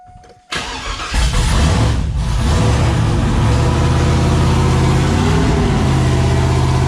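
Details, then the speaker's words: First start of a rebuilt 5.3 V8 with a Texas Speed 224r cam, untuned, back in the truck: cranks briefly, catches cleanly, then holds a fast, even high idle with a steady deep rumble; oil pressure better than ever, sounds amazing. "this thing sounds amazing dude"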